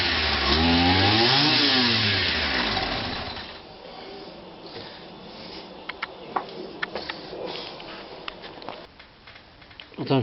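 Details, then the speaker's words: Kawasaki KBH43A two-stroke strimmer that only ran on choke: high buzzing revs swell, then sag and die within three seconds. The fuel cap leaks at the vent, so the tank gets no pressure; suspected fuel starvation. "so it's not getting any pressure at all in it and uh these two strokes uh like this need um pressure in the tank"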